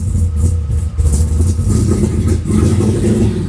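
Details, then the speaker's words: 1979 Camaro big block Chevy after repairing burnt solenoid contacts in the Powermaster starter, primed with a little two-stroke fuel: deep strong rumble with clean rev rises, no knocks or misses; running healthy. "Yes! Ha ha! I absolutely love that sound."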